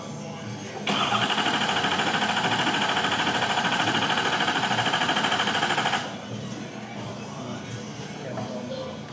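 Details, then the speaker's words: Ford F350 diesel with bad turbo, cranking: starter turns engine over evenly about 200 per minute for five seconds, never catches; injector control pressure too low, fuel prime lost from loose injector rail feed line. "Try starting one more time. Nope. Alright, cats had to watch her own pressure on. Injector control pressure too low."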